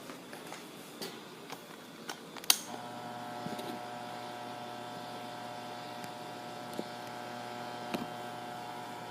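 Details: Asahi PF 620 electric fan running with a steady low hum, faint buzz and scattered rattles over the drone; something loose vibrating inside, buzzing and rattling noise.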